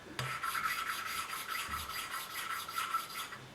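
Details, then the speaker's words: 1983 Kawasaki 750 LTD four-cylinder head rebuild, first-time valve lapping by hand with suction tool and light pressure: quick, even back-and-forth rasping of valve twisting on its seat, smoothing as seat beds in; valve one properly lapped and seated. "And eventually you will be able to hear that we're finished with lapping this valve."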